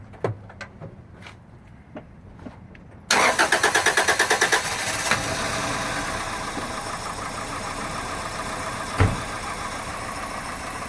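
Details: 2001 Toyota Corolla 1.8, four-cylinder, manual: cranks and catches then uneven stumbling idle with irregular beat; cylinder 3 misfire confirmed by injector/diagnostic test, burning much fuel, no codes.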